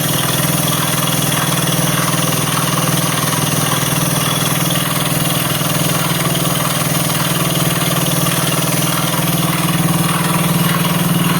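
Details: Honda CBS motorcycle idling evenly at about four beats a second, with an added mechanical clatter over the exhaust. Engine noise at idle, source not pinned down.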